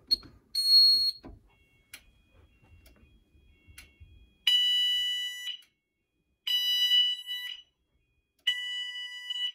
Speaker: we're gonna do the test signal so i'm just gonna put into alert so you hear my symphony go off